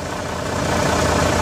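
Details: Volvo semi truck diesel after jump start with NOCO GB70 lithium booster: steady deep clatter at even idle, no misses or surging; running fine.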